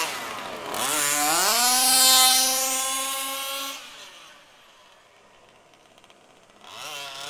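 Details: HPI Baja SS RC car with Zenoah G320 engine and V2 Dominator exhaust, rebuilt, on 91-octane ethanol-free fuel with Bel-Ray oil at 32:1; high-speed needle test: sharp scream up to a high thin sustained pitch, then drop-off, slightly lean (later corrected).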